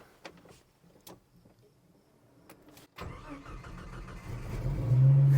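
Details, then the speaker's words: 1989 Jeep Wrangler with crank-no-start after refueling, fuel pump not priming, after replacing failed ECM with refurbished unit: a few quiet clicks, then engine catches at once and settles into a smooth steady run; problem fixed. "Haha, yeah, baby. So that was our problem."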